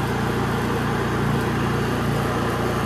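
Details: Honda EU3000is inverter generator with propane conversion venturi plate fitted to carburetor, test on gasoline at full choke: steady, even putter at idle with smooth low thrum, no knocks or misses; running normally.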